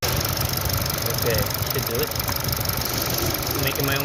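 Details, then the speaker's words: Kia Stinger GT with 26,000 miles and a P0304 cylinder 4 misfire code, revving: an uneven stumbling beat from a misfire deliberately induced on cylinder 1 for the scanner, which shows cylinder 4 not misfiring at that moment. "part now that's a Miss let's see if my scandle here will pick it up"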